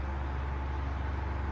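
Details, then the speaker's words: Electric fan after repairing stuck shaft: steady low hum with faint repeating buzz, motor vibrating strongly in hand, weak airflow; traced to a faulty capacitor needing replacement. "yan oh naririnig niyo naririnig niyo yung yung parang nanginginig anan nag-vibrate siya na nag-vibrate lason nagba-vibrate siya nanginginig niung kamay ko"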